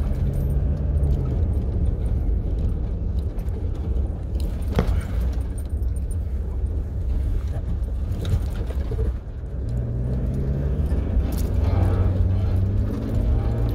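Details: 2017 Toyota Hilux 2.8 1GD diesel after the engine was replaced with a new one, bled and given new oil: deep, even diesel rumble at steady idle with slight handling clatter nearby. Normal running.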